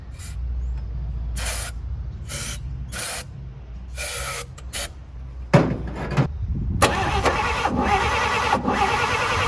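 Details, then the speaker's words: 1954 Chevy after new spark plug wires finally gave spark: repeated cranking bursts with uneven catches, then it roughly fires up; the plug wires had been one position out of order. "Okay, I think I got it. I had the plugs one out of order, so I had to just move them all back one, if that makes sense."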